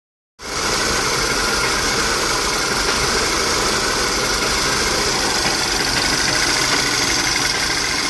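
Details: VW CC turbo petrol engine with K04 turbo, rough idle with engine shaking and a loose stumbling pulse of about four beats a second; check engine light flashes, clears and smooths out with throttle, no code shown; owner suspects vacuum or exhaust leak.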